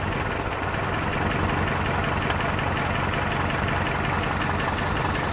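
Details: Toyota 4Runner at idle, first thought to need a clutch job: uneven stumbling beat, about two loping pulses a second instead of a smooth hum, a cylinder misfire, diagnosed with a test light.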